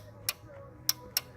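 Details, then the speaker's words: Powerdrive 2 golf cart charger after fuse replacement, DC cord plugged into a board simulating a cart: crisp clicks over a faint hum as the relay's 48 V coil pulls in normally, allowing 110 V through. "thing okay that's good that means that the relay here is closing it takes 48 volts to close the coil on this"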